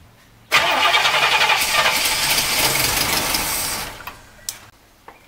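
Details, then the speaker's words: 1964 Cadillac, unused about 17 years, runs only on brake cleaner: steady starter whirr about 3.5 seconds with no firing; fuel pump seems to be pumping but the carb gets no gas, even with the filter removed. "i think it's pumping but the carb is not getting any gas when i crank it"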